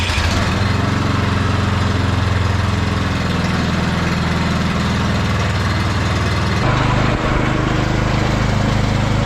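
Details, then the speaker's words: Husqvarna snow blower with Briggs & Stratton Snow Series engine, morning after replacing gummed-up carburetor with new HIPA unit; cold start on electric start, very cold oil. Starts and settles into steady, even small-engine beat, note shifting as a control engages, no surging; normal running. "after swapping the carburetor out on this thing last night and it was running good it's the next morning we're just going to start it up see if all the controls work stuff like that"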